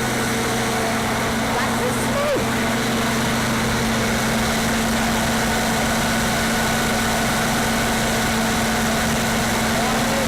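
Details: Standby generator fired up during a pre-storm test, no load and no amperage on it yet: steady, level engine hum holding constant speed, no surging, knocking or hunting; healthy unloaded running.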